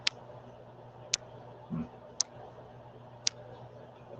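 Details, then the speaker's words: Sharp dry tick about once a second over a faint hum during a livestream; persistent audio click, source unknown, turning echo/sound cancelling on and off didn't remove it. "they can hear us they just have to deal with a click do you have the sound canceling echo canceling whatever it is turn it off"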